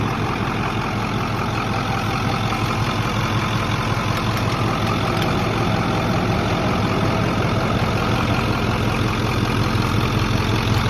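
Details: Ford F250 idling, runs fine: faint uneven clicking like two spoons, a couple of ticks a second, coming and going over a deep idle; source not found.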